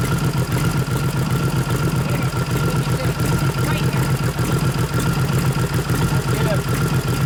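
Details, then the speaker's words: 1989 Harley FLST Softail with aftermarket 93ci panhead stroker conversion (3-5/8" bore x 4-1/2" stroke) during tune-up: lumpy idle, uneven beat with one cylinder repeatedly cutting out and back in; intermittent misfire, ignition suspected, not confirmed. "no I don't know why it's dropping the cylinder out but it just dropped it again that's ignition laters most likely"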